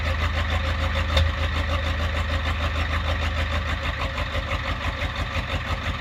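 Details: 1993 Ford F-350 7.3 IDI diesel, cold start at about 15°F: the engine clatters at idle with a rhythmic rise and fall about three times a second, giving a loping, uneven cold idle.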